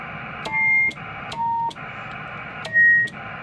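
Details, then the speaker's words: Yaesu FT-901DM transceiver with a CB mic whose element is live only on PTT, relays suspected faulty: brief steady beeps at shifting pitches, about one a second over faint hiss, as the VOX circuit keeps tripping its tone. "all right let's turn the Vox gain all the way down so it doesn't do that annoying like"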